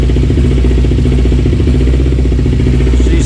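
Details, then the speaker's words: 2008-2012 Kawasaki Ninja 250R twin after a clutch replacement and gasket cleaning: fast, even buzzing idle with a steady beat, no knocks or rattles; normal idle, with no oil leaking from the bottom. "sounds good i don't see any oil leaking out of the bottom"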